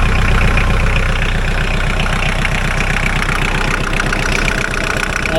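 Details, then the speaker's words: Mahindra 4110 tractor diesel, after repair of an overheating-blown head gasket, coolant treatment added; test-driven 3–4 miles with no leaks. Loud, steady clatter under driving load, no misses: normal healthy running. "I'm cruising pretty good. Um, I drove for about 3 or 4 miles. Hasn't got up to halfway point yet, but so far she sounds good."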